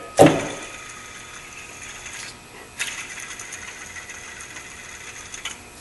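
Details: 2003-2012 Honda Accord drive belt tensioner assembly removed and its pulley spun by hand: rough, gritty whir fading out, a noisy worn tensioner pulley bearing; fixed by replacing belt and whole tensioner assembly.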